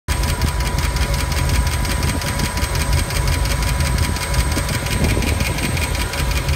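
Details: Ford 5.0 (302) V8 in a Monster Miata, started after cooling overnight following an overheat on the turnpike; fast even ticking over a rough idle, keeping pace with engine speed, apparently from under the driver side valve cover; noise went away once warm.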